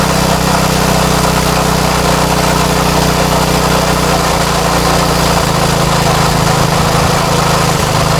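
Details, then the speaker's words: Craftsman tiller with Tecumseh Eager-1 engine after repair: steady, even single-cylinder buzz at high speed with no surging or stumbling. Sounds good, though high speed seems slightly high and is being backed out: normal running. "oh that actually sounds pretty good let's see high speed seems a little high I'm going to back out the high speed a little bit there"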